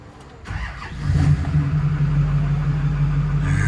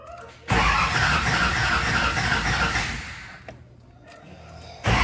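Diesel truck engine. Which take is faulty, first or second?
second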